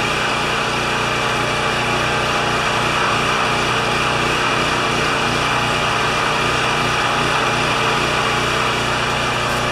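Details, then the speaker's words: Champion 3000 W generator, brought in as a non-starter, running with a disliked choke adapter; tested good days earlier, likely low hours since last tune-up. Steady, even drone at constant speed, no surging, knocking or hunting; normal running. "it's running don't like the choker adapter but hey it's late okay this generator tested good the other day"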